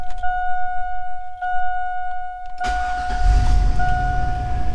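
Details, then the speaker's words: 2000 Chevy Tahoe 5.3L V8, previously misfiring on cylinders 7 and 8, just after new platinum plugs and wires: catches cleanly after a short crank and settles into an even idle, no current misfires; normal start and idle. "oh she sounds good let's see sounds pretty good so far"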